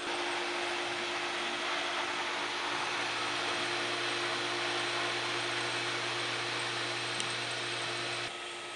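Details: Pool pump motor after new bearing installation and reassembly, primed with water flowing: steady even motor hum over rushing water, no grinding, squeal or rumble; normal running.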